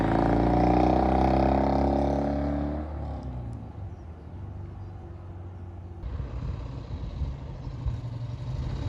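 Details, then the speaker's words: 1971 Triumph T120 650cc twin after pilot jet and mixture adjustment: a brief blip, then a settled, even idle with a steady beat and no misses or popping. It now runs like a top. "Thing runs like a top. Honest to goodness."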